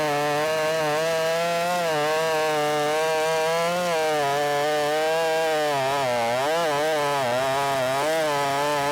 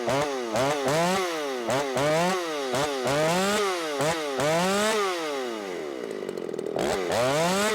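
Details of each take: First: Ported Shindaiwa 757 chainsaw after timing advance, no jetting changes, cutting big wood: high steady scream holding pitch under load, revving higher than before, then winding down. Strong high-RPM cut. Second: Ported Shindaiwa 757 chainsaw, 24-inch bar, C83 chain, 8-pin sprocket, low side leaned out: revs up and bogs repeatedly, choked; flat-cut muffler mod outlet sits against the log and can't breathe, restricting exhaust.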